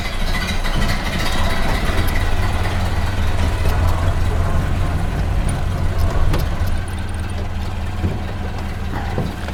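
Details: 1929 Ford Model A four-cylinder after oil pan and oil filter install, before test drive: low, even chugging at a slow steady idle with no knocks or misses; idling smoothly.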